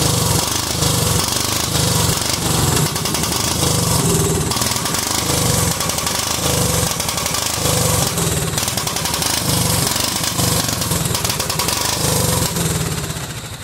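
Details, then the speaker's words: Cub Cadet 2130 lawn tractor, just started: small engine chugs unevenly, beats bunching and stumbling; fuel system full of water and rust, owner suspects water in the carb bowl, plans to drain it. "let's see if we can drain this bowl over here and get some of the crap out of it I think that's probably why it's running like crap"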